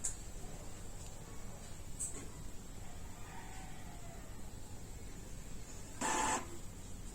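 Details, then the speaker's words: Epson EcoTank L3150 printer during manual nozzle head cleaning: low, steady mechanical hum with occasional clicks and a short louder whirr; a bit noisy but normal for the cleaning cycle. "So as the manual cleaning of the nozzle head continues, you're gonna continuously hear this sound. It's a bit noisy, you know, but not overly."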